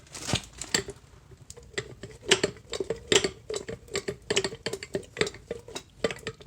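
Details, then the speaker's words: Used CV shaft turned by hand for comparison with a new one: irregular dull clunks and clicks about once a second; it won't rotate a full circle, hits a certain spot and binds, a worn CV joint. "you know what in fact i can't even get a full range of motion out this thing i can't i can't get it to go like in a full circle it wants to hit in a certain spot and not really rotate"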